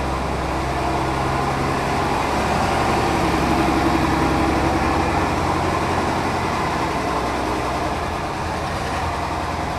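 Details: Mercedes O302 coach of Autocares Cabranes, described as mechanically perfect: a steady, even diesel rumble with a smooth unchanging beat and no knocks or misses. The engine sounds healthy.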